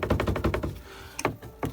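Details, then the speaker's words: Renault Kangoo 2 interior, trim removed: quick dry clatter in bursts, about eight knocks in under a second, then single clacks; rear speaker bracket insert moves and rattles against its mount even though the bolt is tight. "І він рухається, дребіжить."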